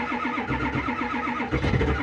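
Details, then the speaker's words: Ford F350 7.3 Power Stroke diesel cold start near 30°F after 7°F night, glow plugs cycled repeatedly: starter grinds in quick even pulses, engine nearly catches with brief surge then keeps cranking; owner suspects gelled fuel or a glow plug. "did you hear that it it almost took off let's try this one more time I really don't want to plug this truck in"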